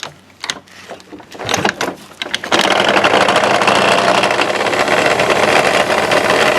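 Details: Honda Dio 27 scooter, piston fine, compression strong: a few stray clicks then rapid, fairly regular ticking knock about four a second over the running engine, traced to a broken-off part at the crankshaft.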